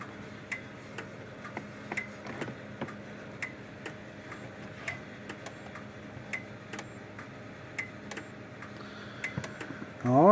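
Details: Kencove KF13000 dual-output fence energizer after repair, case taped together, working like a dream: sharp, evenly spaced clicks about twice a second over a quiet background; pulsing normally.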